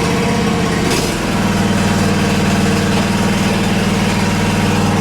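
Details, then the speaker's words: Relatively new Cub Cadet ZT1 50-inch gas zero-turn mower: loud, steady engine drone with even low beat and no knocks or misses; healthy, just noisy. Normal running. "Now, one of the downsides to a gas mower, well, it's the noise. I don't know if you can hear it, but there you go."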